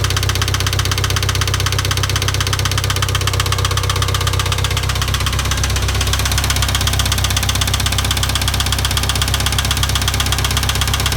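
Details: IH 2544 tractor engine at idle with a steady, sharp knock about four times a second; source of the knock not yet determined.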